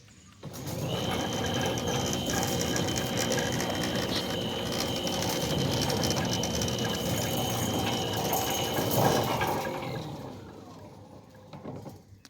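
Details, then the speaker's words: Newly installed Centurion D5 Evo Smart sliding gate motor: an even whirr with fine steady gear rattle and a faint high whine at constant pitch; not labouring, healthy. "And the opening cycle is uphill, but you can hear it's not laboring at all."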